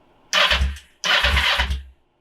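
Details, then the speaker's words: Kawasaki Ninja 500R project bike, cranked on the starter with intake removed for cleaning (bird nest later found in intake): two short cranking bursts with a firm, even chuffing beat, no slipping or dragging; healthy cranking with strong compression. "hey that thing has a lot of compression"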